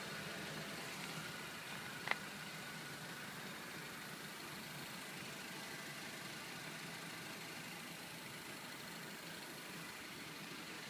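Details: 2013 Honda Civic (9th gen), cold start after 1–2 minutes at idle, near the right front under the hood: quiet smooth idle with intermittent high whistle/insect-like chirps; owner suspects alternator, new one didn't cure it, Honda calls it normal EGR valve noise.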